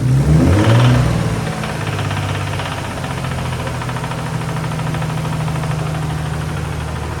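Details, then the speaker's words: Nissan 300ZX turbo idling, oil checked: a low regular knock, about three per second, getting heavier when revved. The owner suspects lifters but fears a lower-end knock. Not confirmed. "it kind of sounds like it's down lower when I rev a little bit it knocks but if you guys could hear that"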